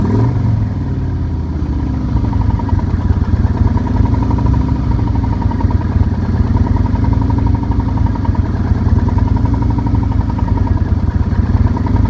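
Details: 2008 Nomad motorcycle idling with a steady low rumble and a rapid, repeating knock riding on top; engine knock, cause suspected, not confirmed.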